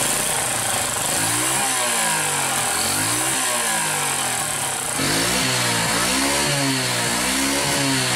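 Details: 4-stroke motorcycle engine revving up and down with rough clattery valve ticking that cannot be adjusted out, engine also smoking white; ticking from worn rocker arm and valve stem.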